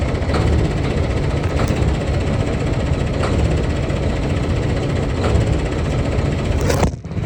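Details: Kenworth quarry end-dump truck diesel just after a cold start: heavy uneven clatter with a lumpy beat. Rough cold idle, cause undetermined.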